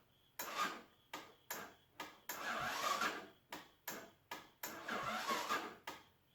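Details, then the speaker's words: 1984 Honda ATC 200ES Big Red after a fresh top-end rebuild, on choke, electric start: short sluggish starter bursts with pauses that never catch; the engine cranks slowly because the battery is a little dead, so it is pull-started instead. "appears the battery's a little bit dead i probably shouldn't charge that also but so we have the pull start for"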